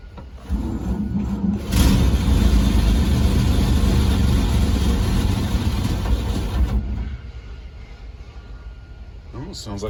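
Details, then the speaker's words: 1948 Chevrolet 3800 dual-wheel stake bed truck, sat for years nose-down with water entering the engine, started on fuel poured into the carburetor. It runs rough while the starter keeps whirring: the starter is not disengaging, and smoke comes from the exhaust. "starter still spinning it's not disengaging but i'm gonna give it another try again here a couple times"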